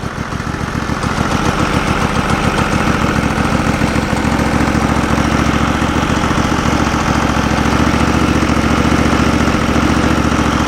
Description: Get warmer outside spring is almost here we're getting ready today decided to start up The Sawmill and run a little bit, It has been sitting all winter.